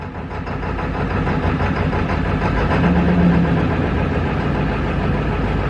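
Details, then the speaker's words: 1999 Ford F350 7.3 Powerstroke diesel at about 52°F before oil pump replacement: after 15–20 seconds cranking with oil pressure gauge at zero, catches with a puff of smoke into an uneven low chug; hard start from low oil pressure, not glow plugs. "So, even when it started, we got a little puff of smoke, but for as much as I was cranking on it, that's not horrible. So, I would say, I'll look at the footage, but I would say that was an honest 15, 20 seconds of cranking on it."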